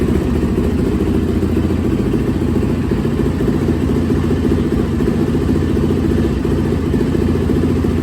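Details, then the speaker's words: 2004 Yamaha YZ450F single after inspection, valve clearance, timing and carb/jet cleaning tune-up: crisp, steady thumping at settled idle, even and unbroken, no misses or rattles; running properly. "Definitely sound good."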